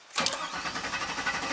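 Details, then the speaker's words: 2000 (or 2003) GMC Sierra 1500 5.3 LS V8, key turned on and left about 10 seconds before cranking. Starter spins with a steady rapid churn, cranking fine, but it never fires: crank no-start. Cause unknown. "i mean cranks just fine why would that weight time have any effect on it"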